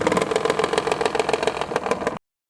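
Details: Maruti Alto K10 with blinking check-engine light: uneven, stumbling beat with irregular pops as the engine idles then revs, rhythm breaking up like a misfiring cylinder; engine misfire.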